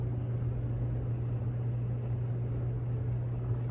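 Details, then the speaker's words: New SMC/Galleria 30-inch hugger ceiling fan on high, factory settings, installed in a resonant enclosed spot: soft air rush with steady low even motor hum, more than an Emerson on high; hum cause suspected, not confirmed. "you can kind of hear there's some hum based on the the factory settings this is actually the quietest speed it's not too bad"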